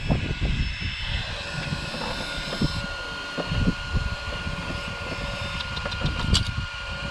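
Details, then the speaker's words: Off-road vehicle after a speed run on wood chips, one wheel's cleats ripped out: thin, buzzy tones over scattered clicks and knocks as debris caught in the top cooling fan makes it buzz while spinning. "foreign something got into that top fan so I'm going to stop this uh this GPS"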